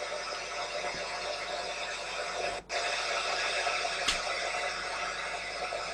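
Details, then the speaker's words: Sony ICF-2001 receiver under repair: the signal meter reads full strength, yet only a flat, constant static hiss is heard at any tuning, with no station received. Cause not confirmed. "now we can go up or down what the tuning doesn't matter just picking up nothing but static no matter what I do"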